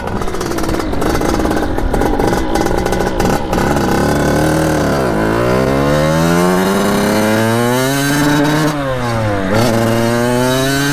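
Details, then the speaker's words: 1989 Kawasaki KX80 big bore two-stroke after rejetting the carburetor, riding in a high gear: revs drag low and flat then suddenly climb to a high scream near the top; late, hesitant power band, owner suspects jetting still needs fine tuning. "see how it's a weird power band see it's crazy Torquay now"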